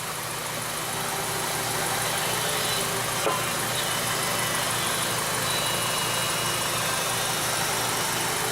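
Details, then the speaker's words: 2009 VW Eos 2.0 TSI (engine code CCT) with misfires: idle tone changes and fuel trims drop to -25 when spray hits the rear main seal area; faint hiss, uneven beat; lean idle from vacuum leak at rear main seal. "you might have heard of changing tone of the motor where that took it all the way the negative 25 and I stopped spraying now"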